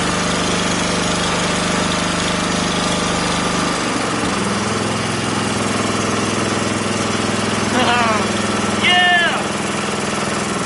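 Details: Wheel Horse tractor single-cylinder engine, first start after rebuild: catches and settles into an even, steady beat after a throttle change with no misses; ran flawlessly for about a minute before fuel leak appeared; normal running.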